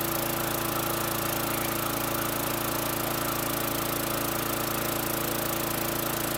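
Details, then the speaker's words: 2003 Murray 5.0 HP high-wheel push mower with Quantum priming engine, after repair: the small single-cylinder engine pulses evenly at steady speed, with no misses or knocks, blowing a little smoke; normal running. "Sounds good, blowing a little smoke, but what do you expect? 2003 machine."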